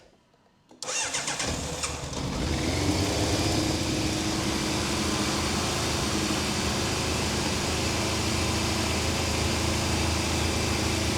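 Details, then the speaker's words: 1988 Yamaha FZ750 Genesis, fire-damaged, after inlet rubber replacement and carburetor rebuild, cold start: fires after a brief crank and settles into a fast, even idle on all four cylinders, held high by the choke. "She's idling obviously quite high cuz the choke is out."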